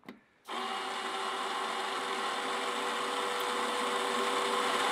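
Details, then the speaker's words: Chemical-free air-over-media iron and sulphur filter, control valve motor positioning into the backwash cycle during testing: steady, even whir with a faint high tone and no grinding or clicking. Normal valve motor cycling. "so now the valve is moving and positioning itself and it's going into the backwash cycle"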